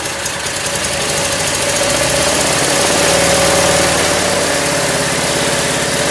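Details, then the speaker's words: Craftsman lawn tractor small single, cold start after not running over a year, choked, battery charger on jump start: settles into a steady, even idle putter, no misses or surging; healthy, though owner heard a sputter and suspects it may be running low on gas. "There it is. Idling pretty good. Yeah, I'm happy. This thing hasn't run in a long time."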